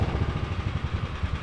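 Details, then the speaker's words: Small single-cylinder 301 lawnmower engine with a Two Brothers exhaust in a mini trophy truck, first start on fresh fuel: idles with an uneven, lumpy beat and irregular pulses; owners suspect a slightly dirty carb. "It seems like our carb might be like a little dirty, but we've got to see if we can fit in here."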